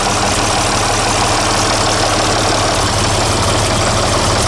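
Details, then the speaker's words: Six-cylinder diesel tractor after service with 15W40 diesel oil: steady, even idle with smooth rhythm, no knock or miss; much healthier and quieter than before, when it would not idle. "Let's see if it'll idle yet. It wouldn't when I got off the tractor. Sort of. Wow, that just sounds so much healthier."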